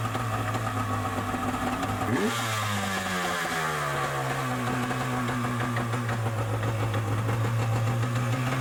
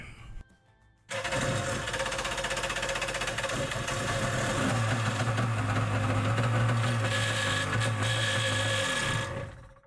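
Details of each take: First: Yamaha Superjet stand-up jet ski two-stroke after rattle fix (washer-spring-washer regreased): revs up and settles to smooth buzzing run with no rattle; runs healthy. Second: Yamaha Superjet stand-up jet ski: harsh, fast raspy grinding at about four per second; the starter bendix was missing its return spring and washers, so it sat against the back of the flywheel and ground.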